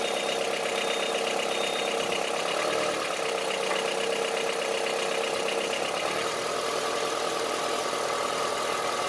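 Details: Honda CR-V III 2.4 petrol engine idling with a hard, diesel-sounding clatter ticking at idle rhythm over the hum; diesel-like knock at idle, cause not identified.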